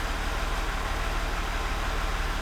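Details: Land Rover Range Rover L405 3.0 TDV6 diesel after full engine rebuild for a knock with metal in the oil filter, first realtime start in park: deep, steady, smooth idle rumble, no knocks or rattles; healthy.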